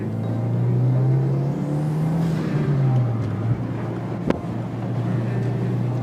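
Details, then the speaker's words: Subaru WRX with new intake, after misfire fix and transmission mount and differential brace install, hard second-gear pull, pulling strongly around 4,000 RPM: engine note climbs strongly and smoothly with no stumble or hesitation; normal acceleration. "Around 4,000 RPM, it gives you the pull already. That was only a second gear pull, guys. We also got a new intake, too, so our intake sounds way better."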